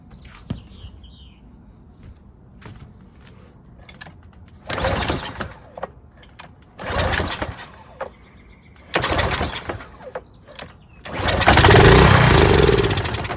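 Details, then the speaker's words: Curbside Troy-Bilt/Craftsman pressure washer, oil good, choke closed, starting fluid sprayed in; repeated pulls each catch briefly in a rough burst then die, the last running a couple of seconds; not getting fuel or dirty carburetor. "There you go. So it's not getting fuel or the carburetor's dirty."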